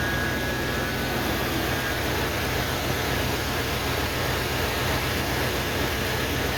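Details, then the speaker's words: 1988 OBS truck after the old cap and rotor were cleaned of carbon with emery cloth: steady, even idle with no stumbles or skips, running much smoother than the previous night's popping and sputtering misfire. "Running a whole lot smoother than it was last night."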